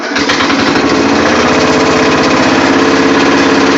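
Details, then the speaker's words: Murray riding mower with rebuilt engine, cold start at 50 degrees: it fires right up into a quick, steady popping beat with no misses; it smokes a little, and the transaxle now runs as a four speed; normal running. "right up so yeah you can see that she works I just took her out and made her a four speed instead of a five speed which kind of sucks but it works"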